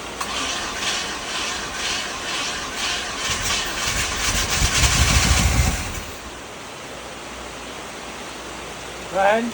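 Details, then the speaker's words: 1967 Impala 396 V8 project car, old gas tank replaced after problems found: uneven chugging for several seconds that never settles into a steady idle, then dies; hard start and rough running, cause not confirmed. "it's it's thinking about it it kind of runs but it kind of doesn't I was actually surprised it did as good as it did knowing what we found in our Adventures"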